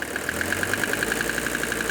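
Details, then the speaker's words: Mercedes 300TD turbo diesel, warm after a 20-minute diesel purge quieted the injectors, just off idle: sharp, evenly spaced knocks about eight a second, a raspy internal knock possibly from a piston. "right there you can hear that I've heard that before and it could be a piston"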